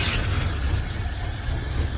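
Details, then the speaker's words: Hot rod engine after a new carburetor was fitted: lumpy, uneven low idle with a stumbling beat that keeps breaking rhythm, like it is not firing on all cylinders; misfire suspected, to be checked by pulling plug wires one at a time. "so I put the new carb and it's still running like [ __ ] and it sounds like it's not firing on all cylinders"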